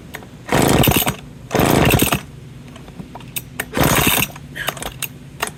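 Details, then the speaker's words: McCulloch 10-10 Automatic two-stroke chainsaw, first run, fuel mix ratio uncertain, recoil broken: ragged high-rev bursts about a second long, stumbling each time it drops back; won't hold idle, cause not yet found. "yes it does run and it will run but I need to fix the recoil I need to figure out why it won't idle"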